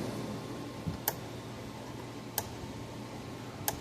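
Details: Gallagher B1600 electric fence charger, repaired with replacement transformer, full power setting into a 100 ohm test load, about 8 joules at 3200 volts: sharp single clicks about every 1.3 seconds over quiet hum. Normal fence charger pulsing.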